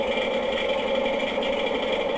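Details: Washing machine in spin: steady hum with a fast, uneven popcorn-like popping rattle; a screw, probably dropped from a pocket, trapped between tub and drum.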